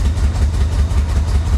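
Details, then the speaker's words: 1985 Chevy Corvette pulled from a Florida swamp, fuel pump just re-submerged in the tank, pedal to the floor and smoking heavily: deep, lumpy engine pulse staying heavy and uneven under throttle; rough running, the best it has run so far. "I've got the pedal to the floor uh this is the best it's done so far obviously it's it's not very happy but it's running"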